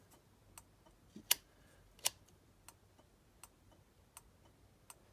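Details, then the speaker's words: 1962 Land Rover Series 2A: Bussman 550 flasher relay and Tex Magna indicator switch bench-wired to the battery, with a slight delay on switch-on. Crisp, light ticks come at a steady pace of about eighty a minute; normal flasher operation. "See the little light in there flashing? You hear it clicking?"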